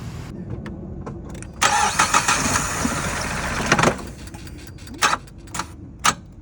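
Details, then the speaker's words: Engine with water inside, first start after the intake was pulled to dump the water out: it catches, idles rough for a couple of seconds at idle without revving, then a hard clunk and it stops dead. Hydrolock seizure. "Gave it the first start. It ran for what? A good couple of seconds. Then just clunk."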